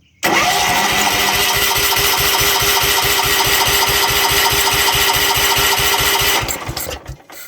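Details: 1970s John Deere 212 riding mower that has not run in years, fed from a can of gas through the mechanical fuel pump: even starter cranking about three and a half beats a second that never catches; fuel flows, so the carburetor is suspected.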